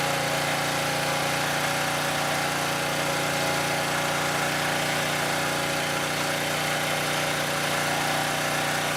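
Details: Southland lawn edger that wouldn't start, spark plug replaced: steady, even buzzing idle, no misses or surges; normal idle.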